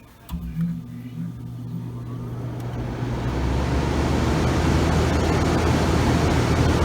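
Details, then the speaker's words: GE AEL14AVL2 window air conditioner in fan-only mode, low speed, just started: low steady hum with soft airy rush building, even, no scraping or screech; fan motor healthy. "You hear the fan as it started to make a nice noise. That means you hear the fan is going right here."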